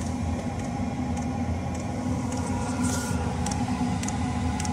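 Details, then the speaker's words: Chinese diesel air heater, about four years old, pulled out for fault finding after a filter check; the pump kicks in and the burner fires, a steady roar with the dosing pump ticking about every half second; later it shuts off, owner suspects the motherboard. "okay pump just kicked in burn is fired up"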